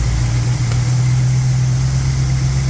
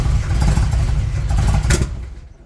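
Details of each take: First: '78 Monte Carlo 305 (5.0) small-block V8, rebuilt 2004, under 50 miles, rebuilt Edelbrock Performer 1406 carb tuned, timing 16° BTDC, idle mixture screws adjusted; deep smooth even idle, steady low rumble, no misses or ticks; normal idle. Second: 1978 Monte Carlo, 305 5.0 V8 rebuilt 2004 with probably under 50 miles, Edelbrock Performer 600 CFM carburetor before rebuild: rough roar, sharp pop, then engine dies; hard starting, won't accelerate, backfires and stalls under throttle.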